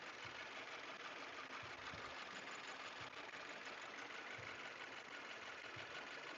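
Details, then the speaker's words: 2018 Subaru Forester XT, warmed-up idle: light, uneven ticking chatter about twice a second that is not constant with engine rotation. Owner suspected a lifter or rocker issue; belt to come off to rule out accessories; source unconfirmed. "h it's like a little bit of chatter it's not constant with engine rotation which is weird"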